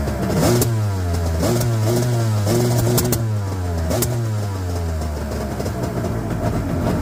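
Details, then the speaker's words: 1998 Yamaha WaveRunner GP1200 two-stroke, freshly started after engine installation and no-power/no-start/no-display fix: revs surge up and down roughly and stumble at high rpm, won't hold top end cleanly; carb adjustment suspected, not confirmed. "Sounds like some carb adjustment is in order, as always with these carburetors."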